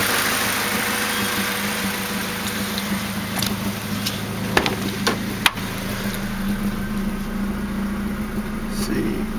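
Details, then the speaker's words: Newly built Honda D16Z6 in a 1991 Civic EF hatchback, first start-up, stock P28 ECU tune, Buddy Club exhaust: steady smooth idle around 950 rpm, even low hum with no ticking, hunting or misfire; motor sounds great, still burning off old oil. "motor sound damn good motor sounds great"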